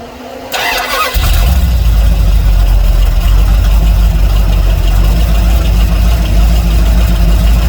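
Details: Dodge D150 truck carburettor after lowering a float found way too high, which had it idling rich: short crank, catches within a second and settles into a steady even idle with no misses or stumbling; fuel level now just below half in window.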